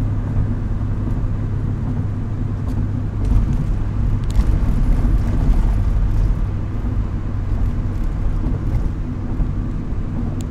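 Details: Idle rumble swelling and sagging unevenly every few seconds, with the idle hunting. The owner says it has improved but still acts up at times and suspects a vacuum leak, which is unconfirmed.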